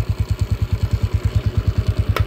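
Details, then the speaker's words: TMX 155 motorcycle test ride after replacing the noisy clutch (panggilid) set: steady even single-cylinder thump, no whine in first gear; normal running after repair, though a cracked valve guide was later found. "Let's go primera swabeng swabe na mga kao wala n halinghing yung panggilid all goods"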